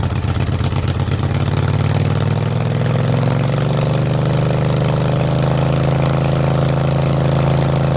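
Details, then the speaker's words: Craftsman garden tractor with Kohler Command 20.5 HP V-twin, just fitted with a fabricated exhaust elbow and straight pipe, started on half choke: loud even burble settling into steady idle after startup, open pipe crackling but smooth; nothing amiss. "man oh man does that sound mean or what that sounds mean that's cool i'm gonna keep it like that that's cool"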